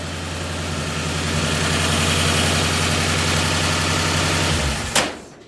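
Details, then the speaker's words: Ford 302 V8 with a new cam, just installed, after the distributor was corrected from 180 degrees out and ignition timing adjusted: a strong, even low rumble for about five seconds before shutting off, a normal idle. "No, the timing was too far. It's just below 60. Sounds good."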